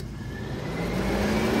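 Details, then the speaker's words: Audi TT MK1 cooling fans: with the fan thermal switch plug removed, the 12 V supply pin is bridged to the high-speed pin. Both fans run at high speed with steady, strong rushing air, and the relay clicks in, so this part of the system works. "so if we Bridge across here and here we should get both fans kicking at high speed"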